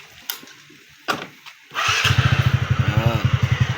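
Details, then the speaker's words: Scooter after repair; it was previously noisy and prone to stalling. Valve clearance was reset and the timing chain tightened. Starter whirs briefly, it catches easily and settles into a steady, even idle, now quiet. "Valve clearance, binalik ko sa tamang clearance kasi maingay yung makina na ito kanina nung dinala to, pero ngayon tahimik na."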